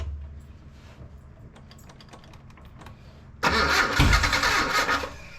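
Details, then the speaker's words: Datsun Nissan 720 King Cab 4x4 pickup abandoned about 20 years: cranks several seconds, catches, then runs rough and uneven with surging; fuel pump heard running with 3 gallons in tank, owner suspects carburetor not pulling fuel, rebuild needed. "Definitely seeing a carburetor rebuild in my future because it doesn't seem to be pulling fuel, although we know we have 3 gallons in the tank and I can hear the fuel pump running."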